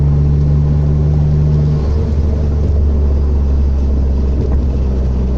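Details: TT Magna 6G72 DOHC V6 after a misfire fix: a smooth, even idle that climbs cleanly with throttle, with no stumble or missed beats; running on all cylinders.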